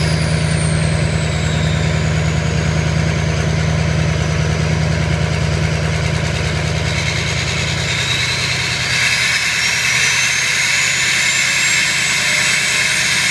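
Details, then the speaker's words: Ford 6.0 diesel idling during an IDS turbo vane test sweeping from fully closed to open, heard at the exhaust: a rising then falling whistle as the exhaust note shifts cleanly. The vanes move freely, a normal sweep. "then what it's doing is using the mass airflow make sure the air matches at the same time so I'll run the test again and I'll go back to the exhaust and you can hear how the exhaust changes"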